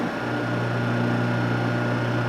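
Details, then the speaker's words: South Bend toolpost grinder motor, reassembled exactly as from the factory with ground connected, held by hand on the bench: smooth constant hum, clean steady tone, no wobble or knock, runs like a gyroscope; normal, a little bench vibration audible. "doesn't even look like it's moving but it is thing runs beautiful like a gyroscope smooth real quiet no wobble"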